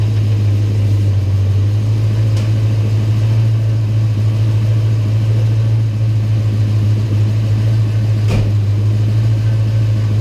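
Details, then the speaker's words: 1993 Mustang Cobra after replacing the starter, which had caused a squall at startup: engine catches cleanly with no grinding or squall and settles into a steady low idle; normal startup. "So that noise we were getting at startup was definitely the starter. And I think it sounds a heck of a lot better now when it starts up. Sounds really good."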